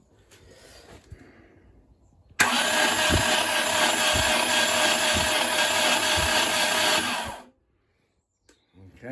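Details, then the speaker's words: Mercruiser 470 3.7L marine engine unrun for 16 years, starter wired direct to battery, rocker cover off, cranked in short bursts to build oil pressure with oil cooler and filter empty; steady starter whir, even pulses near four per second, no firing. Cranking without starting. "what I'm trying to do is get the oil pressure up so I'm going to give it some tax spin it over and just see what okay I don't want to go load on the starter motor cuz obviously I don't want it to get hot and uh and burn out"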